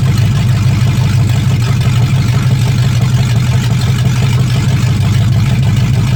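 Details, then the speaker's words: 1965 Mustang fastback, 289 V8 with Tri-Y headers, first start after sitting 44 years, freezing cold day: steady, even low V8 rumble with no knocks or misses. Normal running with good spark; only a dripping carburetor needing a rebuild. "all right here we go there we go she's good so the points I like we got fire everything's good"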